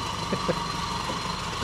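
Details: Mk1 Ford Escort 4-door with a Pinto engine, at its first start after a ground-up restoration: a quiet, steady low idle hum with only faint irregular taps and no knocking. The fresh engine idles smoothly.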